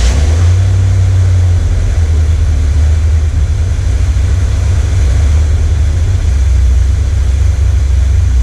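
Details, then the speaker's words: 1979 Corvette L82 V8 idling in neutral, hood down, after the choke opened: deep, loud idle that lopes and stumbles unevenly. Smoke test found no vacuum leak; owner suspects the carburettor idle circuit isn't working and the transfer circuit is compensating. "I think the choppiness to it is it trying to do the idle circuit, and like, because it, in this stage, it's running off of whatever the transfer circuit is in the idle circuit."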